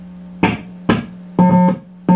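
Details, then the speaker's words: Marshall Silver Jubilee 50W amplifier with low output and distortion: the tone cuts in and out in short irregular bursts as the effects return jack is waggled, because the jack's switch is faulty and not shorting as it should. "we have found the problem it's this effects return jack it's faulty which is strange because i actually jacked ch check that in"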